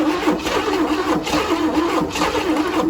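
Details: Abandoned 1977 Chevy Camaro on full choke, last try: the starter turns the engine in slow, uneven pulses about once a second, but it never runs. Owners suspect a clogged carburetor, not confirmed.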